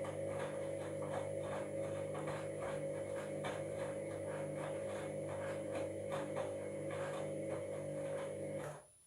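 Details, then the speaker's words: Washing machine while filling at start of wash: steady motor hum with an uneven, gritty ticking about four per second, a grinding that shouldn't happen; owner suspects worn drum bearings. "I don't know if you heard then it was making a bit of a grinding sound, which that shouldn't be happening."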